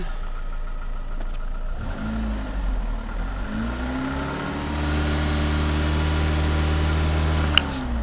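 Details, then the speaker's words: Cheap used car's engine: uneven tapping knock at low idle that goes away on a smooth rising rev; pulling a cylinder didn't stop it, so it is judged not rod knock and most likely not bottom end. "me if the knot goes away at any time you pull a cylinder that means it's a rod knock it doesn't go away it's not a rod knock related"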